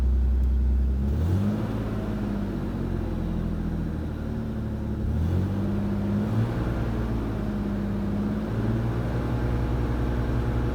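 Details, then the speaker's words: BMW E36 just after an oil and filter change, started very cold on choke: even low rumble rising and falling with a couple of smooth revs and no ticking or clatter; the earlier strange noises are gone and it sounds healthy. "Et rien qu'à la vidange, j'ai plus de bruit étrange, de claquement ou quoi que ce soit. Donc ça fait plaisir."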